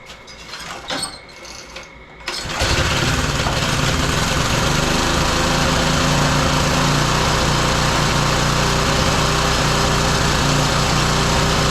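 A couple of pulls, then the small engine catches and settles into a steady, quick, even beat; it starts and runs fine.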